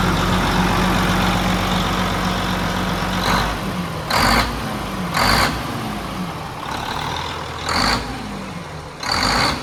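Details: Mack Superliner diesel truck after engine repair: settles into a steady, even idle under several sharp air hisses, no knocks or misses. Sounds healthy. It previously blew white smoke (fuel pump suspected) and blew black smoke after this start.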